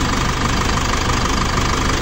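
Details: Foton Tornado diesel after repair for overheating and coolant-oil mixing: steady rumbling idle, even clatter, constant pitch, no misses or knocks; no more coolant bubbles, normal idle.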